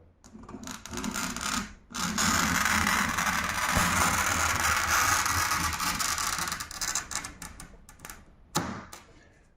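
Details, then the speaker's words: Roller glass cutter scoring a glass sheet, held perpendicular and pressed evenly: steady crisp crunching hiss without squeaks or skips, a sharp wheel cutting cleanly rather than scratching. "вы сейчас слышали хруст стекла сам стеклорез он должен стекло резать но не царапать если он царапает стекло значит стеклорез Тупой"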